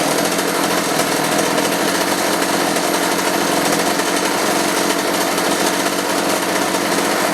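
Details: Roughly 35 cc chainsaw with 14-inch bar after replacing the bad spark plug and a carb adjustment; steady screaming full-throttle rev held evenly without surging or dropping out, running strong and clean.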